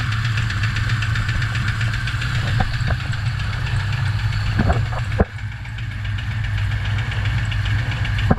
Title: craft Performance engine Engine Knock